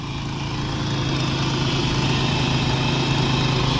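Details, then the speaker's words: Supercharged 2002 Nissan Xterra SE 4x4, just over 200,000 miles, rough idle just after start-up with transmission and battery lights on; quick regular puffing tick about four per second from an exhaust leak, plus a known vacuum leak; engine and supercharger otherwise sound good. "I know it has a vacuum leak because I saw it, and it definitely has an exhaust leak."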